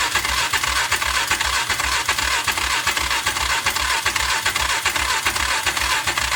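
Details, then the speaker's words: Old Polaris four-wheeler after reassembly, fuel filter still empty: steady starter cranking with even chuffing around two and a half beats per second, no firing; fuel not yet primed, cranking without starting. "Uh there's nothing in the filter yet. So, let's try to fire it up and see if the uh filter fills up."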